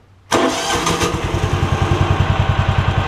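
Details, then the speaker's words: John Deere Gator (Kawasaki engine) after ignition coil replacement, previously very hard to start and misdiagnosed as a carb issue; catches immediately and settles into a steady, even single-cylinder idle thump, normal start. "see how much easier it started spots from the throttle [Applause] so we're good"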